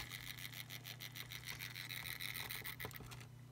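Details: Soundesign Model 3578 flip clock radio: steady mains hum with scratchy rasping from the clock motor gearbox; noise stops when motor is turned to a certain orientation.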